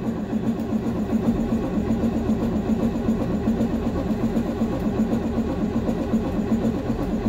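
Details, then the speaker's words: 2006 Thomas-Freightliner FS-65 bus, 7.2L Caterpillar C7 diesel, icy cold start at -8°C after cycling glow plugs; battery sounds like it's going, labored slow uneven starter churn with no firing. Slow cranking, cause not confirmed. "oh she's not going to start today yeah she is not a happy bus today"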